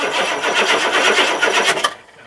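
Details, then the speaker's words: Diesel engine with glow plugs disconnected, microphone under the starter: starter turns over in slow, dragging, lethargic pulses for about two seconds then stops; slow cranking, owner suspects weak batteries or a starter needing to be opened up. "real lethargic, huh? Pitiful. That sounds terrible. I think my starter needs to be opened up, or the batteries are weak. Something sounds really sick."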